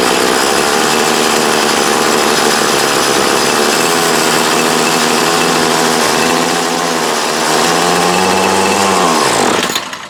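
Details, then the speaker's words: 2008 Troy Bilt TB20CS 31cc two-stroke trimmer from a yard sale, fuel lines, filter and primer replaced: high buzzy note holds a ragged, wavering speed, then sags and dies away after start; owner suspects dirt in the carb. "Yeah, we might have some dirt in it. Spool head spinning. Have to check the carb there and pop the top."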